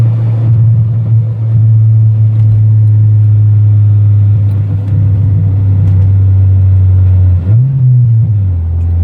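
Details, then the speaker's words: Car after timing set and main relay swapped from another car: steady drone under load on a first-gear pull briefly stumbles and surges, misfiring around 5,000 rpm; not the main relay; owner may try other fuel pump or new TPS. "First gear pull. So you can see it started like misfiring right around 5,000."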